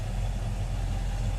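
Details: 1957 Chevy Bel Air crate V8 after a finished restoration, idling outside after a choke warm-up: a deep, even burble with a steady low rumble and no knocks or misses. The engine sounds healthy and smooth.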